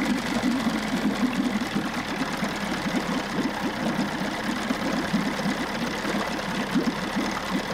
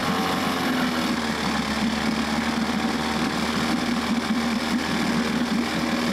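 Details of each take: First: 1994 Johnson 6 hp two-stroke outboard, thermostat removed and now running cooler, pumping good water and shifting forward and reverse. Steady, slightly uneven fast putter at idle. Normal running; new thermostat to be ordered. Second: 1994 Johnson 6hp two-stroke outboard from auction, running on choke with fuel fed directly. Fast, ragged, weak buzzing putter. Spark present; compression only about 60–67 on the top cylinder, mediocre compression.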